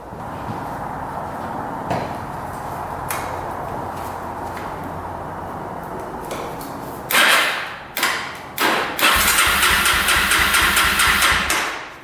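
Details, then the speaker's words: 2005 Yamaha TTR250 single-cylinder, sat unused for about two years, petcock on reserve with choke pulled: steady labored cranking for about seven seconds, then short bursts that never catch; cranks but won't start, and the petcock is leaking. "we were not that lucky today just not gonna fire up it looks like the petcock is leaking already"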